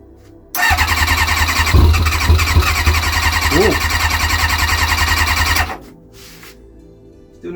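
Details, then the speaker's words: Kawasaki ZX-6R after 10 years sitting, freshly cleaned carbs, 5 litres in the tank, tap on reserve, easy start tried. The starter spins steadily at about three turns a second for five seconds without catching. The fuel filter stays empty, so fuel is not reaching the engine. "not got any fuel in that fuel filter though. It's not going to start if we've not got any fuel in the fuel filter."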